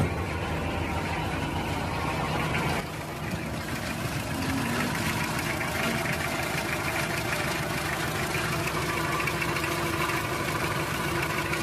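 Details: Toyota 2C diesel engine: idles with an uneven, lumpy clatter whose beat wanders instead of holding steady; rough idle.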